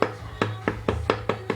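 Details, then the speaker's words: 1994 Toyota pickup 22RE engine, removed at 229,789 miles with a rod knock: sharp metallic clunks about four a second as the loose number one connecting rod is rocked by hand; bearings need replacing. "number two is real tight and number three is pretty tight also so we're going to have to replace some bearings and of course it's number one so for those of you who have a knock in your motor"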